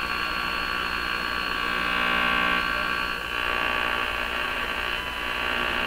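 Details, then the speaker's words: Electrohome Music Box PMU51 418 radio, after replacing unreliable components, during alignment check: a constant raspy buzz with a fast pulsing edge drowns the stations; electrical noise in the house is stronger than the stations. "again so you can see the problem in this shop there's so much noise in here in my house the noises are stronger than the"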